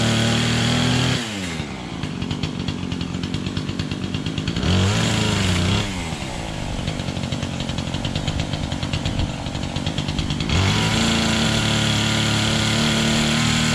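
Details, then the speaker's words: Small engine started on choke, chain noted slightly loose, owner recalls it fires up fine: catches within a second, crisp steady buzz through a couple of throttle blips, no sputtering or dying; normal running. "Anyway, from what I remember, this fires up just fine."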